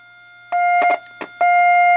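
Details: Heathkit T3 visual-aural signal tracer: clean, steady mid-pitch test tone comes through strong with probe clicks at the tube grid input (pin 4), before comparing with the weaker output; clear test tone.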